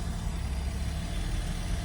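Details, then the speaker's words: Porsche Boxster 986 during test drive after repairs, stopped at idle in first gear where it usually dies: low, even rumble holds steady without sagging or hunting, no stall, no overheating. Normal idle. "Look, if we go down to first gear, yeah, it's good. It's good, holy shit."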